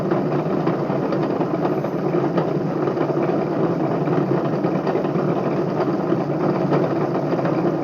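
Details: Bedini motor spinning a BMX rim at steady speed. Constant whirring rumble with faint gritty ticks; bad, rough, dry bearings suspected.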